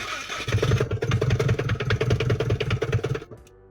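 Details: Subaru WRX engine just swapped in without inspection or teardown: lumpy, uneven pulses about two or three a second before it cuts out abruptly; runs rough, suspected internal engine damage.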